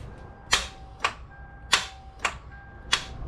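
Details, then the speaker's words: 1998 Toyota 4Runner 3.4L automatic, no-start; sharp single clicks about every half second with no cranking: starter Bendix engages but the motor doesn't turn. Failed starter, replaced. "that means your starter is going bad and needs to be replaced so what's happening is your starter bendex is coming out but the starter motor is not turning"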